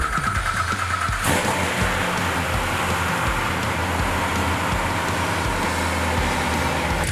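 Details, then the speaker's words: Rebuilt Z06 V8 in "Vengeance" reinstalled with new tune loaded (air-fuel, timing, idle, VVT tables): starter cranks, catches at once, settles into steady lumpy idle with no misses, no leaks; normal start and idle before methanol install and dyno. "So she started up, she runs, nothing's leaking, so it's time to install the methanol and then get it on the dyno."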